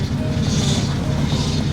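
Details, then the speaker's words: Cheap Audi A4 B5 as bought, engine running: thin whine swelling over engine noise; failing power steering pump, later replaced. "Well, this is because of the power steering pump, which is supposed to assist the steering and is not supposed to sound like that."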